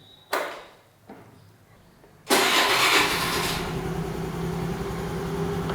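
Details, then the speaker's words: Honda Activa 4G after bendix drive starter repair and reassembly: quick starter whirr, engine catches at once and settles into steady even idle; starts cleanly, though fix not fully trusted. "तो अभी के लिए एकदम सही काम कर रहा है लेकिन मैं इसके ऊपर ट्रस्ट नहीं करता हूं"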